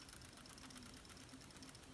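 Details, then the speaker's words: Vernee Apollo X phone being shaken, with fast light metallic clicking from loose metal side buttons rattling in their slots. "Sounds just cheap and is a little annoying. They are really loose, those buttons, but at least they are made from metal."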